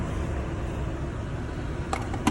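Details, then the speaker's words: 2024 Toyota Land Cruiser A/C set to 60, fan turned up to high: strong, steady rush of air from vents with a couple of light clicks; blower running hard and evenly, vent temperature dropping to 54. "and the fan starts blowing really hard now uh maybe like it should on high for any other temperature"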